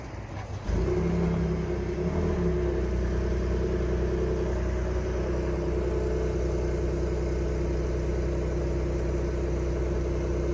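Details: 2021 Ford F-150 PowerBoost remote cold start at about -20 to -23°C: rough churning grinding/cavitating noise over steady idle in Park; noise goes away in Reverse or Drive, returns slightly in Park.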